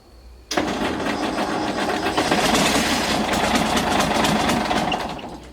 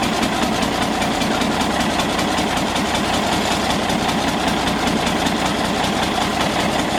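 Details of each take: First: Galion T500 motor grader diesel, sat 14+ years since 2007, first start attempt after hose and hydraulic line repairs: starter churns about five seconds with uneven compression pulses, never fires; fuel supply had been shut off when the pump was removed. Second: Galion T500 motor grader diesel, sat 14+ years since 2007, just started after fuel turned back on: steady, even diesel clatter with no stumbles or knocks, settling into a clean, smooth idle.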